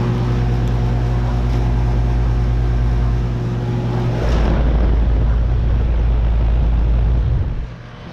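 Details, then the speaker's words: 2012 Bryant Legacy Line central AC outdoor unit, 2.5-ton scroll, running at 73°F with a heavy low buzz and steady hum, louder than normal; cause unknown. "here's my Bryant um air conditioner running right now it's really buzzing so I just wanted to make this video you don't normally see it buzzing this much"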